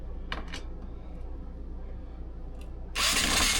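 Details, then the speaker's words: Cordless drill/driver in reverse removing screws from dark wood paneling during an RV bedroom renovation: quiet whir, then harsh high grinding as the bit slips in the screw head. Cam-out from too little pressure, which strips screws; the fix is to push. "Okay, we can't have that. That's what strips the screws. When you hear that grinding noise, >> you have to push."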